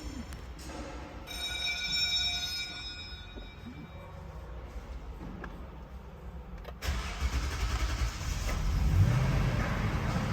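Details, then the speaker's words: Toyota Sequoia with long starting and low power, fuel pressure gauge just fitted (should exceed 3 bar); about seven seconds of steady cranking before it catches and idles, because the fuel line had been opened and pressure bled off. "अब तो लंबी हनी थी क्योंकि हमने हटाए था remove किया था उसके बाद हमने तो इसलिए स्टार्टिंग लंबी हुई"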